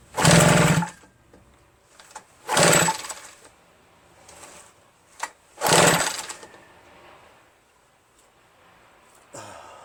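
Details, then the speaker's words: RedMax EBZ8050 two-stroke backpack leaf blower after new piston rings installed for no compression; very hard to pull, owner suspects rings too tight and lacking cylinder lubrication. Three short pull-cord bursts about three seconds apart, each dying without catching: hard starting. "I feel like I feel like the rings are so tight right that it's stopping the engine from moving there's like not enough lubrication in the cylinder that's what I'm feeling and it's really difficult to start you know"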